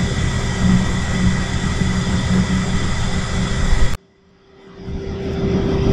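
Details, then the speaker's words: Shinko steam turbine generator at rated 1800 RPM, no load yet before breaker closed: steady even whir with constant high tone, sharply quieter once enclosure door shuts; running smoothly. "You might hear that noise. We'll see what happens when the door closes. You could almost go to sleep now."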